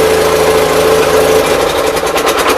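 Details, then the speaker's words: 816 tractor idling out of gear after new loader hydraulic hoses were fitted: steady mid-pitched chatter with a constant hum, no misses or surges. Runs really good. Carburetor still to be worked on. "Should be out of gear. The tractor runs really good. I just need to put a seat on it yet."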